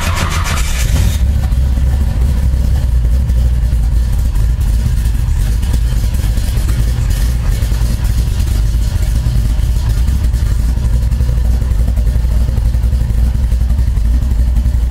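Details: Cold start of a 1972 Nova 496 big-block Chevy with a large Straub Tech hydraulic roller cam (660 lift), single-plane intake, FiTech 30012 EFI, and MSD distributor with Digital 6 Plus CDI. Garage is in the 30s°F, with no pedal pumping. It cranks and catches within a second, then settles into a deep, lumpy, steady fast idle; a healthy cold start.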